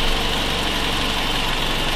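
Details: Nissan X-Trail with a suspected blown head gasket, engine running with a gas analyzer at the coolant opening: even, steady idle with a smooth low hum and no misses, knocks or hiss. The gas analyzer shows no readings.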